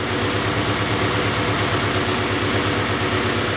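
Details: 1994 Acura Integra 1.8 L DOHC after a cold fast idle valve adjustment cured its idle surge, engine still cold. Smooth, even idle with a steady low beat and no rise and fall in speed: normal idle.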